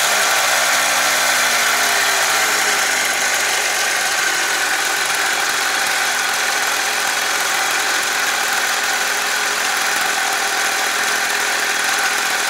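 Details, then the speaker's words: Two-stroke engine with replacement cylinder honed 0.25mm, improved compression, during second break-in at idle; fast, even buzz holding steady slightly raised idle, no knocking or misses, running in normally. "Ajde da vidimo da li radi na leru. Radi, prima on i gas, ali bolje nek radi na leru."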